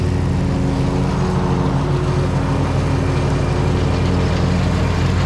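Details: Gravely ZT60 HD zero-turn mower after swapping in a used Kawasaki 26 hp engine, plus new blades, oil and air filter check: steady even drone with a smooth low hum, no knocks or misses; running healthy.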